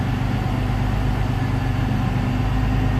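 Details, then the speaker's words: Jeep Cherokee XJ 4.0 with four-hole injector upgrade, after idle air control valve change, at operating temperature: steady even low idle rumble with no misses, stumbles or surging; normal idle (a high idle was later traced to a vacuum leak). "this is actually idling a really really good doesn't smell like crap anymore than smells doesn't run like crap anymore"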